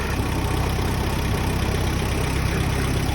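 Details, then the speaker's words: Ford Sierra Cosworth at idle with lumpy deep tickover and heavy rattling shake from worn engine mounts, which vibrated a throttle body screw loose; mounts need replacing, headlight possibly also rattling. "Death rattle. Yeah, the mounts have got to go."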